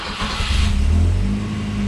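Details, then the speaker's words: 1986 Volvo 245 DL wagon, inline-4 redblock, 222,133 on the odometer, 4 bar oil pressure: brief crank, fires immediately and settles into a smooth, steady idle without hesitation; healthy start. "you can see it fires right up, not a problem."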